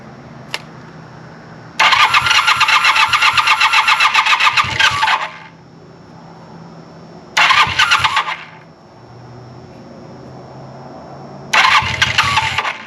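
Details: 1980 Honda CB400 T Hawk, non-runner, first start attempt after carb rebuild and oil change, choke on, fuel in carbs from bottle; three bursts of fast even starter chatter, about four turns a second, engine never catches.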